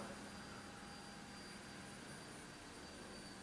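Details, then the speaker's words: Mercury Sable after fuel pump and filter replacement, new pump primed: faint steady electric hum, no grinding, return through the fuel pressure regulator audible at about 40 psi, about 3.9 A draw versus 12.8 A before; normal fuel pump operation. "I can actually hear the fuel pressure regulator putting the the gas back to the tank right around 40 PSI"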